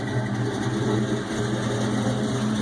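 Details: Ford Mustang GT 4.6 V8, first start on Trick Flow stage 2 cams, untuned and cold, supercharger not connected, BBK long tubes, X-pipe, 2.5 in exhaust, Flowmasters: choppy, uneven idle with loping deep exhaust pulse.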